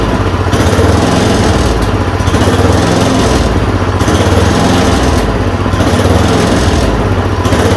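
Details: Yard Machine 826 snowblower (8 hp, 26 in cut), just fitted with a dual belt: a steady single-cylinder buzz with a gentle rise and fall about every 1.5 seconds after the idle screw was adjusted. It runs normally.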